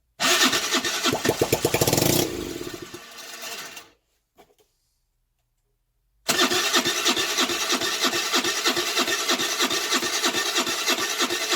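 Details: 2008 Baotian Tanco 50cc 4-stroke, fresh gas: fast rattly starter churning that never catches; after early ether pops it floods and the plug keeps getting wet; owner suspects a fouled carb.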